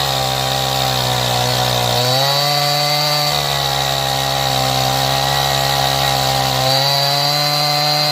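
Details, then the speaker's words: Stihl MS180 32cc two-stroke chainsaw, warmed up, after opening the low-speed screw about 1/8 turn to cure cold bogging: high steady scream sags briefly under bar pressure and recovers, cutting cleanly. "so as you could uh hear if you put a little bit of pressure on it it it it just starts to want to bog down but once it warmed up it was uh working much better"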